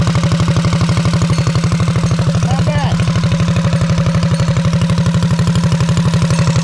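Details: Heathkit Boonie mini bike with Predator/196cc-212cc-type single, Stage 1 kit, Mod2 cam, 22lb valve springs: strong, even low thump at roughly four beats a second, unbroken with no misses or knocks; runs healthy.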